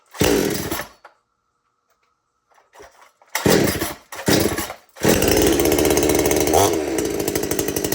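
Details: Chainsaw, one of several including a Stihl MS-250 and a Husqvarna 455 Rancher, already started that morning; the owner says it idles slightly fast when cold. A couple of short bursts as it catches, then a strong, steady high-revving run. Normal start and run.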